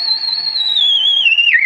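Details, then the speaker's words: Vintage 1975 RCA WR-50B signal/sweep generator at 5 MHz, signal sent via a wire antenna off a T to a radio: a whistling squeal sliding in pitch as the dial turns, the heterodyne beat approaching zero beat where both frequencies match. "squeal, and when it zeroes out, that's called the zero beat. So these frequencies are exactly the same."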